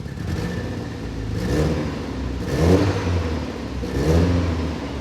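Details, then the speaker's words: Late-1991 Golf Mk2 converted from 1.3 to 2.0 16V ABF with high-compression forged bottom end, after oil control work: idles at about 1000 rpm, three quick throttle blips rise cleanly and drop back with no stumble, and AFRs don't go lean. "the idle is that at a thousand let me blip the throttle no that's not too bad"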